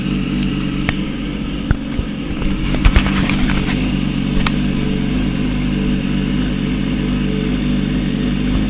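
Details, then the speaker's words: Yamaha R6 (2006-16) after refitting the left stator cover with new gasket torqued to spec: a few light clicks, then steady even idle with no starter grinding. Normal start and idle. "After all that, your R six should sound like normal whenever you start it."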